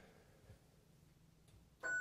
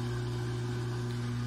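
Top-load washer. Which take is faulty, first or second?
second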